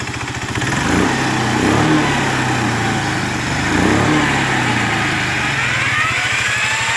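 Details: Yamaha Riva 125 XC scooter after new starter clutch, relined rear clutch and buffed bell housing: rough, uneven rattle over the engine that worsens with throttle; owner suspects worn variator weights, source unconfirmed.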